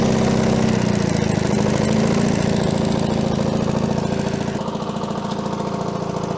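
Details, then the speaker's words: Allis-Chalmers HD6 track loader diesel, revived after sitting about 50 years, idling evenly at a quick regular beat with no misses; the muffler is worn, the fuel leak is fixed, coolant is low and the gauge reads zero oil pressure. Normal idle. "listen to that baby purr I think our muffler has seen better days"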